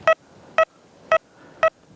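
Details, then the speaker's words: XP Deus mk1 recovery-speed test, hammered penny within a millimetre of a rejected 3-inch nail, discrimination 4.6: five short, clean mid-pitched beeps evenly spaced, with no iron chatter. Clear, strong target signal. "Clear, strong signal. No problem at all."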